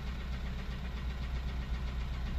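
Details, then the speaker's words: 2003 Honda CR-V K20A4, knock began after hard high-rev driving, after valve adjustment: steady fast knock under a smooth idle, largely unchanged; owner now suspects a rod or something loose in the bottom end, valvetrain not ruled out. "I don't know now I'm starting to think it sounds like a rod or something is moving around down there"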